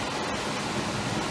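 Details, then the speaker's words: Carrier gas furnace in a small commercial building, after blower motor replacement for a no-heat call: smooth, steady rush of air with no hum, rattle or labouring, starting quicker and smoother than before; normal blower operation. "Power back on. Starts up a lot quicker, smoother, and sounds a lot better."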